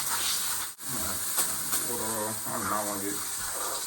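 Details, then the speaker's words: Temporary water hookup at a cracked water meter with broken supply pipes: steady hiss of water spraying from the hose coupling because the clamp isn't tight enough and won't tighten further. "my hand soak I hate when water be leaking like that too"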